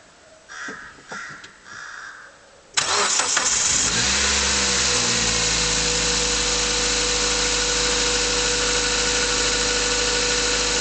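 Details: Mazda 3 cold start: catches quickly into an even idle with a faint regular tick, a knock of uncertain origin. Pistons were replaced under warranty, but the noises later returned, also warm under load. Owner hopes it is bearings.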